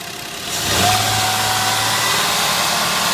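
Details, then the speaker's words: 2003 Ford Escape with suspected vacuum leak, brake booster hose clamped off; engine climbs to a raised steady hum and hangs high instead of settling, then dies down; soapy water spray found no leak. "Still revving, shouldn't be, then dies down."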